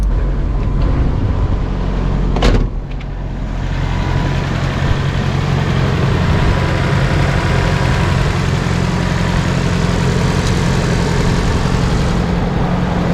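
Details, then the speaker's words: Nissan 240SX (S13) with SR20DET that runs rich and misbehaves only at operating temperature; cold start, steady even low idle rumble, one brief early clunk, no misses or knocks; normal cold idle. "see if it starts right up oh she still has her 3D printed Rose in here it's busted that's new actually sounds pretty good right now"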